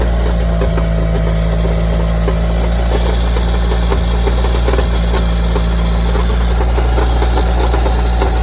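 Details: Evo engine at idle with new balance shaft belt, new rod bearings and accessory belt removed: heavy irregular bottom-end knocking and rattle felt at the oil pan, quieter with the clutch pressed; cause found to be a wobbling, loose flywheel.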